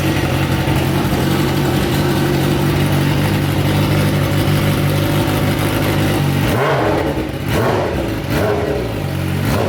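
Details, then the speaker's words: 2013 BMW S1000RR, salvage title, 50k+ miles, first start during wrecked-bike rebuild: loud busy idle with heavy low rumble from bottom end, brief revs; owner worried, metal shavings found, cause uncertain. "First crunk it up though, it sounded really loud down in the bottom end. So, and all those shavings kind of scared me."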